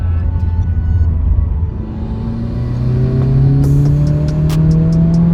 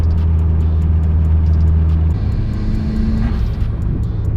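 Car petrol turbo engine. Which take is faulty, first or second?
first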